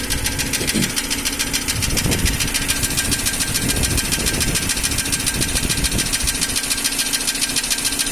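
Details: Nissan Almera N16 at idle, about 3000 km after new rings and valve stem seals: crisp, rapid, even ticking, about three to four per second, no effect on speed; solved, intake valves were set too tight.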